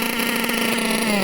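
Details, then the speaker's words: Nitro RC engine at full throttle while the high-speed needle is being leaned a turn at a time: high, buzzy, soft and blubbery note that climbs lazily with little power. Mixture is too rich and is probably filling the crankcase. "But now you're running into the problem where because it's so rich, there's so much fuel. It's probably filling up the crank case."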